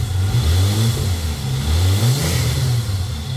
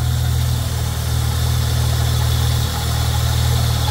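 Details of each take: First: Holden Commodore VS Ecotec V6 idling and blipping after wax was applied to a degreaser-dried drive belt: deep even note, squeal gone; a slight grinding from the tensioner pulley remains. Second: Holden Commodore VS Ecotec V6 at idle, listening through a tool handle held to the pulleys: rough scratchy grind under a steady hum from the lower idler pulley; tensioner pulley above also sounds bad. Both need replacing.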